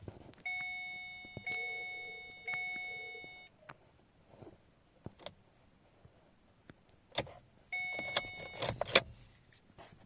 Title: Kia Cee'd II 1.4 100 KM no crank no start new battery wtf